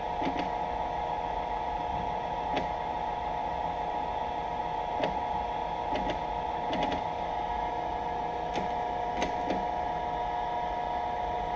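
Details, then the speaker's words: Cincinnati 205 milling machine moving table on X-axis power feed: steady motor hum with irregular sharp clicks every second or two, feed stopping then running smooth; stuttering, suspected slipping gear. "that noise that you hear and what it does is it makes us a stutter it'll actually stop and then run smooth and then stop"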